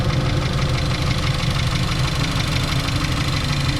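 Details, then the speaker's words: NC Miata with Racing Beat header and mid pipe, at the track: steady idle with busy, even clatter like heavy valve train noise; stethoscope traces it to the intake, suspected intake swirl flaps. "So, it almost sounds like some heavy heavy valve train noise, but I think it's just the intake."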